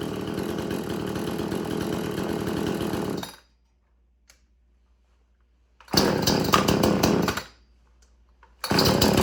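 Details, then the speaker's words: Extreme Power 8200 XP two-stroke chainsaw, chain freshly sharpened, idling cold-to-slightly-warm; it idles faster when hot. Steady, even burble with clean cut-outs between bursts and no hunting or stalling: normal idle. "but it was just cold that's reason why because it does that when it's cold but it is a little warm but it will get hot and idle a bit more fast a little bit faster when it's hot"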